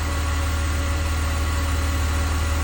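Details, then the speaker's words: 2002 BMW 330Ci after rear subframe work, cold start after 24 hours sitting: smooth, even idle with a steady extra hum from the secondary air pump, which then switches off; an earlier ticking was suspected to be a collapsed lifter; normal cold idle. "but that sounds like a perfectly healthy engine to me it's making some extra noise cuz the secondary air pump is running and that'll turn off in a second here"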